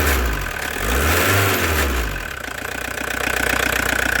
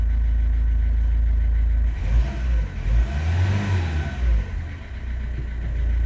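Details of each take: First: Old Audi diesel for sale: idles with an uneven, lumpy beat and occasional twitches; owner suspects a hose may be leaking and something needs replacing; cause not confirmed. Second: Audi diesel for sale, just after timing belt change, with new oil and filter: idle rises smoothly on a throttle blip and settles back cleanly, no hesitation or rattles, no smoke; engine runs well.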